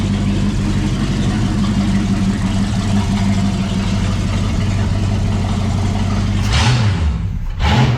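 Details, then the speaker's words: 1966 Mustang after clutch replacement, running with no mufflers fitted: deep, loud, raw rumble at idle that barks harder on a throttle blip. "with no Mufflers it sounds nasty it it doesn't sound the way that it looks cuz it looks mellow it sound rowdy"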